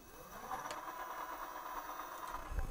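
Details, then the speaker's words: MXUS XF15 e-bike hub motor with KT controller, throttle test on a vintage Japanese bicycle, microphone near the hub: quiet, steady mid-pitched whine, even, no grinding or clicking; hub motor running normally. "you hear it that's a driving honest it's going round"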